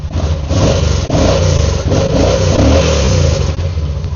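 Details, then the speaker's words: Yamaha V-Star 950 being restored after a crash, after replacing the crushed throttle cable: lumpy V-twin picks up cleanly on each throttle blip and drops back without stumbling; healthy throttle response. "Okay, we got the throttle cable on. Let's start it. See if it revs up. See if it sounds good. Nice."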